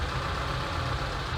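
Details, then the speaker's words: ZAZ Sens, engine rebuilt, intermittently stalls and hard-starts; warm at 84 °C after throttle cleaning: low uneven idle drone, revs and ignition advance swinging once idle correction lowered from 66. Idle hunting from low idle correction setting. "вона відразу починає качати оборотами ось в нас оберти вверху о у нас оберти бачимо як вони і бачимо уголбереженяго запалювання також пригає"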